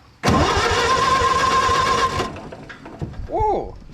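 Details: Co-op E3 tractor (possibly 1947) after years of sitting, out of gear, power to coil: starter spins engine evenly about two seconds, oil pump pushing oil, but no cylinder fires; cranks, no start, spark at plugs not yet checked.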